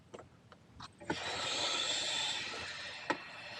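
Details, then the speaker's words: Outdoor frost-proof faucet (hose bib) after repair with new parts and silicone grease on the stem threads: water hisses out smoothly, only soft handle clicks, no squeal and no leak. "huh look it doesn't leak it doesn't squeak anymore look at that fix the leak fix the squeak not bad"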